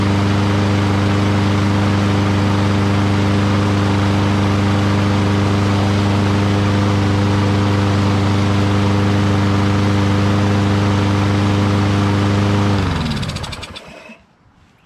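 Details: Lawnboy RWD push mower, recovered water-flooded, first start after carburetor work, bowl cleaned and fresh fuel: steady even small-engine drone without misses or surging, winding down smoothly at shutoff; runs great, though the rear self-propel drive doesn't seem to work.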